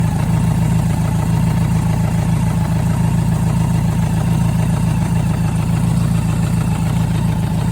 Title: BMW K100RS engine knock